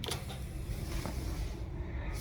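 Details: 2011 Kia Sorento XM 2.4L, ignition on after replacing the jammed A/C servo (air flap) motor under the dash: quiet cabin hum, no ticking.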